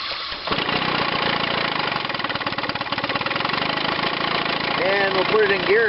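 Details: Chrysler outboard on a test wheel, battery 12.93 V: cranks and catches at once, settling into steady, even two-stroke burble with no misfire; starter-generator working, charging about 14.5 V.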